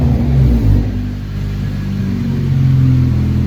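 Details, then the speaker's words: 9th-gen Honda Civic Si engine that previously had a rumble, now revved; clean even note rising and falling freely, no rumble or misfire, sounds like a normal Honda: smooth running, coil swap later discussed. "Sounds normal. It sounds normal to me, dude. It don't sound like right now, it sounded better right now."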